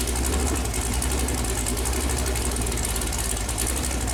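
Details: Chevrolet Performance 454 big-block V8, fresh build on a run-in stand, first run: deep, even rumble holding a steady idle with no knocks or misses; temperature hung around 190, oil pressure really good; normal idle.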